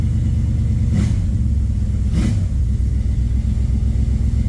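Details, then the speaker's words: 1967 Camaro small-block V8 with FiTech injection, under load after regapping mis-gapped spark plugs to 0.045 in: a deep, steady part-throttle rumble with no stumble or hesitation, and the throttle stumble is fixed. "By George, I think it's fixed. a spark plug. Of all things, it was a spark plug."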